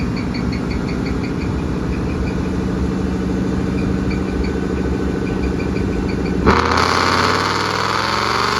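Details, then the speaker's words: 2013-14 Coyote V8 Mustang, bolt-ons, 6R80 automatic, on a dyno: steady V8 drone with a light repeating high chirp from a failing dyno roller bearing rather than the car. "now you'll notice once he gets going that there's a little squeaking noise and that's actually the dyo one of the bearings was going out in the dyo"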